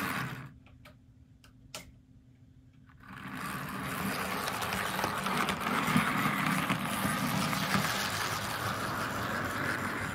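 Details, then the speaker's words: Arbour Models kit locomotive (Brooks 2-6-0 / Sierra 4-6-0) with motor held by a brass band, test run after clearance adjustment: a steady whirring buzz with fine rapid ticking. An unexplained noise (worm suspected earlier) in an otherwise smooth runner. "now aside from that noise this is actually turning out to be a very smooth Runner"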